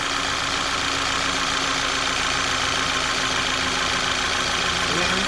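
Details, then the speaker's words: 2011 VW Tiguan with P0300, P0301 and P0303 misfire codes, ignition coil harness later replaced: restart gives a steady, even idle with no stumbles or misfire after the miss suddenly stopped; normal idle. "okay we started normal we started beautiful with no"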